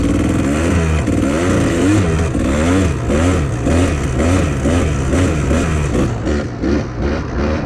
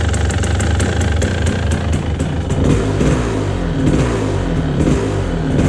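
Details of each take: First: 1997 Kawasaki KDX220 two-stroke, air screw adjusted: uneven crackle and burble but now holds idle without throttle, still rich; uphill in third and fourth not very responsive, leaner pilot jet next. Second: 1997 Kawasaki KDX220 two-stroke, sputtering with poor throttle response, cold after one kick with no choke: burbling, uneven, sagging beat, smoky, loading up and near stalling; carburetion running too rich.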